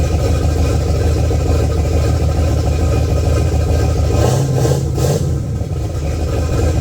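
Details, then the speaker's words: Pontiac 400 V8, boosted drag car, after a backyard refresh replacing broken rings, bearings and pistons: deep, even rumble with a short rev blip settling back, oil pressure 55 lb; normal running. "Well, it seems to be running good, man. We're at 55 lb of oil pressure."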